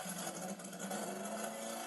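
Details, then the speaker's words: Pygmée F3 racing car, new engine, second start after readjusting ignition advance: steady, loud, screaming buzz at an even speed with no misses or knocks, so it runs cleanly. "Donc voilà. Donc là, bon, on se rend vraiment pas compte he dans la vidéo, mais ça hurle."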